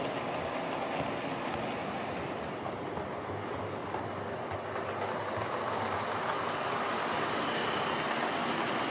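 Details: Old Lima Class 31 model locomotive in freight livery after overhaul with an extra pickup added on the front bogie, running on the layout: quiet, smooth whir with soft regular rail clicks, steady pace, no stalls; normal running.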